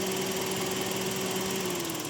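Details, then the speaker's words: Daihatsu Xenia 1300 cc dual VVT-i, 2016, manual, about 70,000 km, single owner with dealer service: engine bay idle is smooth and even, a soft steady hum with light valvetrain ticking and no knocks or misses; normal for this engine. "Untuk 1300 cc ini emang kalau mesin yang dual VVTi itu emang suaranya gini. Ini halus suaranya kayak gini nih."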